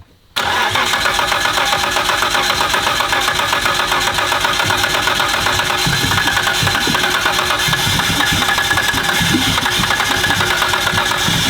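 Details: First start of a freshly built 1500 hp Nissan Skyline R32 GT-R engine, oil being filled while running: catches instantly, loud steady slightly lumpy angry idle, no knocks or ticks; normal healthy idle.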